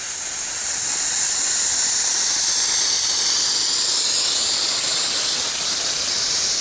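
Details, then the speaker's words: Sprinkler blowout with air compressor and blow-out adapter, shutoff valve off, all air going through the system: steady, hard hiss of air rushing through the popped-up heads for several seconds as the zone drains; normal. "Now all the air is going through the sprinkler system, and now when we go outside we should see the sprinkler heads popped up and draining water."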